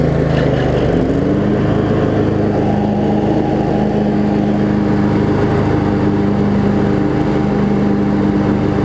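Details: Craftsman riding mower, Briggs & Stratton V-twin, after shift hub repair, started on choke and driving: steady even drone with smooth constant tone, no knocks or misses; running pretty good.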